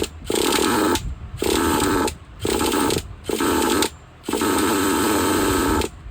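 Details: Used Traxxas Jato nitro 2.5: short bursts of high buzzy running that die out every second or so; fires but won't keep running until low-speed fuel is richened an eighth turn and the idle gap opened.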